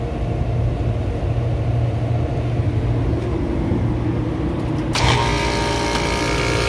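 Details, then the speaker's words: Kitchen AC unit in test mode at startup, over 100°F outside, under heavy load, pressure rising from about 75 psi: a low hum, then the compressor kicks in with a harsh, loud roar that stays high, far noisier than it should. "still loud as hell but we're gonna give us some time to run and see what happens"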